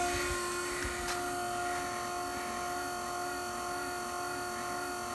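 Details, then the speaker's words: Lift pump on a 5.9 Cummins after fuel filter change, re-priming with return line into filler neck: steady electric whir with even whine for several seconds, pushing all air out; normal priming. "just to make sure everything's primed all the air is pushed [Music] out"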